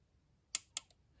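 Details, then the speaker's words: 2008 Arctic Cat M8 EFI snowmobile fuel injector on a bench test, powered from positive and negative leads while flushing and cleaning; two sharp, crisp clicks in a quiet room show the injector opening cleanly. "and you can hear that injector click don't know if it'll show up in the video but you can hear it click in person"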